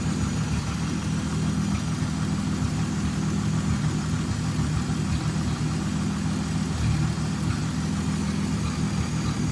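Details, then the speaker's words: 1929 Chrysler Type 66 Speedster near end of rebuild, running after teething problems: deep steady idle with even low beat, no knocking or rattles; normal healthy idle. "With the engine running nice, the bonnet could be fitted and it actually started to look like a complete car."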